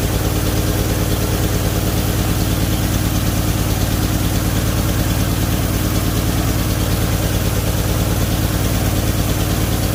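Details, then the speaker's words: 1978 Chevy Nova at idle: a slow, slightly uneven loping idle with a low rumble, set too low; owner believes the idle was tuned down because of a brake booster diaphragm problem. "so i just wanted to show you real quick that it does run the idle is not correct i believe that it's been tuned way down on the idol"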